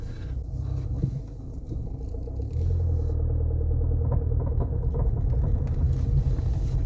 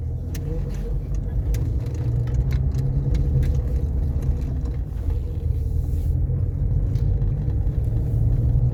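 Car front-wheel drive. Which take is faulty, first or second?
first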